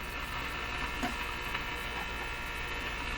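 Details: Nordmende Boheme tube radio on bench at full voltage through protected supply: constant low even hum from speaker, no station received; hum fault, cause not pinned down.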